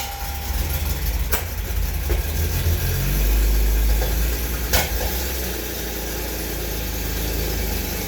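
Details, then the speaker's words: 1991 BMW 750iL E32 that sat a long time, with a large gas leak; just restarted on old stale gas, deep idle rumble wavers and lurches unevenly with sharp clicks; running a little rough, maintenance history and spark plugs unknown. "she's running a little rough I definitely need to check the fluids over uh I don't know when any of the maintenance items were done on this"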